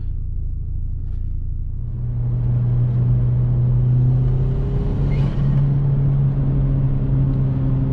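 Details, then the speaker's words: 1999-2005 Jetta 1.8T with bigger turbo, new exhaust manifold and locked turbo bolts, road test after rebuild: deep steady exhaust rumble pulling evenly at partial throttle with strong boost, no ticking or rattles; healthy. "wow i can't get over how much boost this thing produces with partial throttle"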